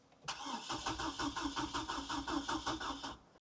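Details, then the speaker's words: Auction Hummer H3 no-start, battery holding 12 volts: steady starter cranking at about five compressions a second that never catches, then stops; owner suspects it is out of gas. "See, it's 12 volts holding. It's just I wonder if it's got gas. Let's see when we get in here. Could be out of gas."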